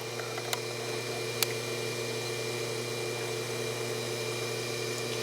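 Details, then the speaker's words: Hydro-Spa Princess hot tub with Hydro-Quip CS800-A1 115 V pack after new pressure switch, new high limit and freeing a stuck pump, heater on: steady low hum, constant tone, no rattles or surging; normal pump operation. "so I'm going to turn you see the pump goes on and off with this when you flip the switch it stays on"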